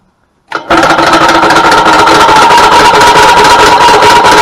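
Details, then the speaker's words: 2000 Yamaha G16A golf cart engine, loud racket and won't go: loud fast hard clatter about three knocks a second from start; suspected broken connecting rod cap letting the dipper hit the block, not confirmed. "what I have suspected is wrong is I believe that maybe the um piston Rod the rod cap itself is probably broken and has allowed the Dipper to dip down and maybe catch the block somewhere"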